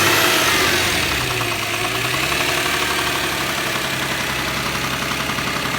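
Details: Subaru EZ30 engine at idle: a sharp, regular knock about four per second rides over the idle, a bottom-end rod knock from a spun bearing.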